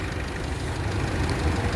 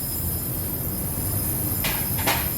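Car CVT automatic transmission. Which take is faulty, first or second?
second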